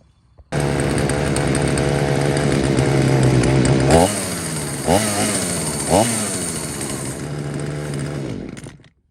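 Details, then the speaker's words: Husqvarna 235 chainsaw that wouldn't start, after replacing the cracked original primer bulb and three fuel lines; started on second pull: two-stroke revving steadily with smooth buzz and clean throttle blips, no misfire; normal running. "I think probably the original fuel lines which they just kind of fall apart but anyway got it back running and everything's working fine now"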